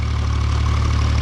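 Smooth, deep, evenly pulsing idle with no knocks or misses; the tractor engine runs healthy.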